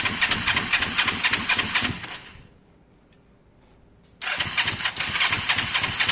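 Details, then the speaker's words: Kawasaki ER-5 twin running: uneven, lumpy firing pulses, cuts out about two seconds, restarts still ragged and unhappy; something changed, cause unknown, owner suspects spark plugs need cleaning. "uh something's changed guys um something's changed you can hear it's just not happy i i don't know what it is"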